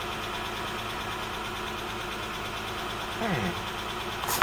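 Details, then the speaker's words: 1984 Toyota Cressida 5M-E petrol engine just after head job, warming up at idle: steady running with a faint light tick at engine speed from one exhaust tappet with too much clearance, set with the cam lobe in the wrong position, later readjusted. "well apart from one noisy tap it it seems to be all right so oh that's not too bad it sounds like I got one of the exhaust tap it's a little too"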